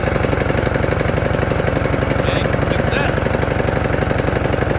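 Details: Husqvarna 42-inch mower with 18.5 hp Briggs & Stratton, after cleaning the dirty ignition coil and flywheel magnet that caused no spark/no start: even, steady putter with regular firing and no misses or stumbles; spark restored, running clean.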